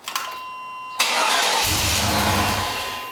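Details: Chevrolet Tahoe: a short chime, then the starter grinds and turns the engine over without it catching; cranks but won't start.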